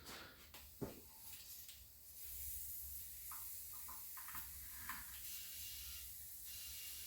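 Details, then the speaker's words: Flat tire off a 2011 Ford Explorer, reinflated to find the leak: steady high hiss of escaping air strongest at one spot on the tread, heard up close; puncture leak confirmed with soapy water bubbles. "see i hear it here it is right there i'll bring you a little closer i don't know if you can hear that but something tells me it's right there"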